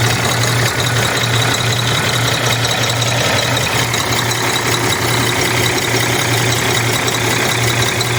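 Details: Cummins ISX 870 truck diesel at idle after injector replacement and overhead adjustment, fan running: uneven, loping beat with irregular knocks; owner says it still has a miss, cause unconfirmed.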